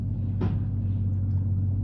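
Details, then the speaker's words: 2005 GMC Sierra Z71 at idle in neutral, pushbutton four-wheel drive after the buttons were fixed, selecting 4 Low; steady idle rumble with one solid clunk as the transfer case engages, normal. "We're gonna push this button. 4 low. You hear the clunk?"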